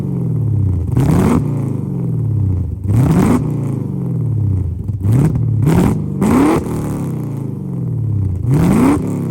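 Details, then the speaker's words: Lexus IS300 with LS V8 swap, first drive, untuned: deep V8 rumble; each throttle blip climbs then bogs and breaks up instead of revving cleanly; owner expects a tune will fix it. "It wants to bog out, and every time we try to rev it up, it kind of breaks up a bit."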